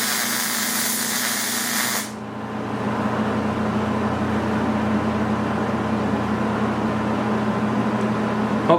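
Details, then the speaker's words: MIG weld run with the pull technique, nozzle held very tight to the deck (short stickout): a steady, even frying hiss from the arc for about two seconds, then a low hum; normal MIG welding arc. "Now, I've gone ahead and I've let the volume go on this because I'm hoping you can hear the sound of the machine as it's welding because I think this is important, too."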